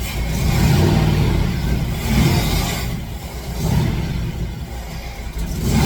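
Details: Fox Body Mustang, battery on charger, a gallon of presumably good fuel added plus starting spray: cranks in surges with brief catches from the spray but never runs on its own; injector signal to be checked with noid lights.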